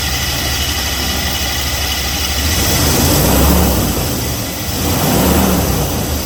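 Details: Failing A/C compressor showing white residue and heat-discolored metal from overheating, near seizing. Engine running with a rough, uneven droning rush that rises and falls.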